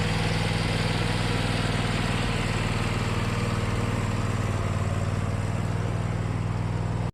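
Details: Riding mower unused about six months, fitted with new starter and battery: steady, even low thrum at constant speed with no misses or knocks until shut off; engine runs healthy.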